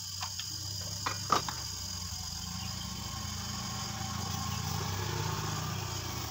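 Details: Repaired compressor whose rotor had seized, now freed, run before welding and a leak test: a few sharp taps at start, then a steady low hum with a faint high whine, turning over and running smoothly.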